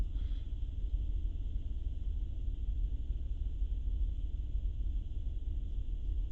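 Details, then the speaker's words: 2008 Honda Pilot at idle: unsteady, lumpy running with an irregular stumble from misfires on cylinders 4, 5 and 6. The scanner shows cylinder 5 misfiring fastest, then 6; a coil or injector is suspected, not confirmed. "you can see right away number five is pinning right away and painted pitting really really fast six is right behind it but not that rapid maybe a bad coil maybe a bad injector"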